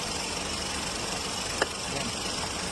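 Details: Ford EcoSport (newer look) idling after re-timing (timing had jumped a month after another shop's job, causing black smoke) and turbo replacement: even, steady idle with no knock, miss or whistle, just a couple of faint clicks; running smoothly.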